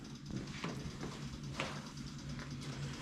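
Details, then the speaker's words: Oliver 66 diesel tractor after oil change, before starting: steady low hum with faint buzz from the electric fuel pump priming, working after wiggling its wires. "and what you hear is the electric pump there's electric pump on here took a while to get it going"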